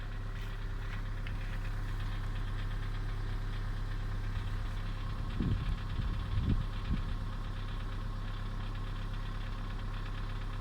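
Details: Kia Sorento 2 engine at steady low idle with a faint repetitive tapping and a brief rise midway; engine knock at idle, source unconfirmed.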